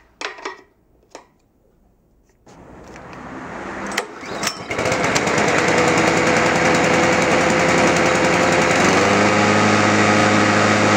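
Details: World GRL 530S mower with Loncin 196cc engine that would not start; the choke throttle was not closing fully. After the repair and reassembly it fires on the pull and settles into an even, steady high run: normal start and run.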